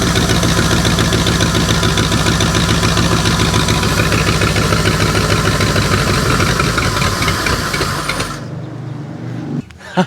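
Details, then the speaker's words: 1984 Ford 351 Windsor V8 from an F-150, stored about 23 years, revived with a new distributor, power and plug wires. A steady, even idle with a firm regular beat and no knocks or misses, then a clean shutdown. Healthy running engine. "And she runs pretty darn good, seeing as how all we did was put a new distributor in it, hook up some power, plug wires, and she popped right over just like that."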